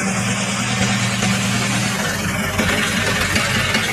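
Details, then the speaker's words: Restored Foton double-cab small truck, over 20 years old, about 200,000–300,000 km, first engine test after two months of restoration: steady even idle, smooth firing, no knocks, rattles or misses; starts first try, normal idle. "Absolutely no problems. Starts on the first try."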